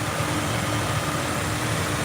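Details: 2003 Jeep Wrangler 4.0L, recorded at the engine bay with the AC running: steady, even low rumble with no knocks, ticks or misses over the AC hum; engine idles smoothly and sounds healthy.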